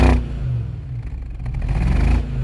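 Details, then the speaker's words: 2005 BMW X5 E53 after VANOS motor replacement: a deep revving engine note stumbles and runs rough as revs rise and fall; cylinders 5 and 6 still misfiring, an injector suspected. "you can hear that's the sound of a misfire 5 & 6 still missing"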